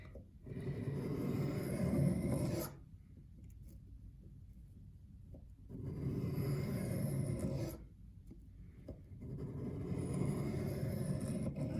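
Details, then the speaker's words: Reed knife on a 1500-grit stone, angle guide above number 6: even, unbroken two-second rasping strokes with no chatter; the sound is right, but the edge catches mainly mid-blade, less at the end. "Let's see, so I'm happy with the sound that this one is making, but it's still not catching as much."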